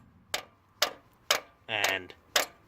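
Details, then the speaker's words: 1979 Lincoln Continental Mark V, stuck valve freed after its compressed spring popped out, possibly helped by cold: five sharp mallet taps, each springing back cleanly; freed valve, normal spring rebound. "So that's really good news, you know. And you can kind of hear it bouncing, right? Kind of has that bounciness to it."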